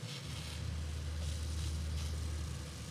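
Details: Fogatti InstaShower Ultra 10L propane RV tankless water heater, thermostat at 116°F, with cold water mixed in: steady, even low burner roar without dropping out or pulsing, running normally.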